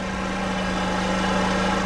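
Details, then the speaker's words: Two-stroke scooter rebuilt with new piston, cylinder and rings, which stalled when given throttle. With the air filter removed it holds a steady, even drone under throttle without dying, showing the clogged air filter was the cause. Normal running. "fonctionne de manière stable, maintenant nous sommes au gaz. Le scooter ne s'éteint pas !"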